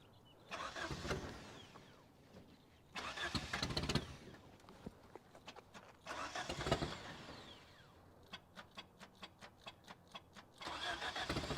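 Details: 1973 Toyota Hilux, 18R 2.0L four-cylinder, sitting for 20 years, with gas poured down the carburetor to prime the fuel: three or four quick, even cranking bursts that never catch. It cranks but won't start.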